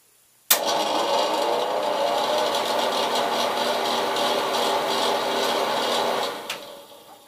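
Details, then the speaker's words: Bathroom exhaust fan, in place since the house was bought, cleaned perhaps about a year and a half earlier with slight improvement: a steady, loud, rattly whir with an uneven buzz; clearly noisy, cause unclear. "can tell it makes a lot of noise and then about a year and a half ago I think I opened it up took it out trying to clean it out a little bit and it was a little bit better"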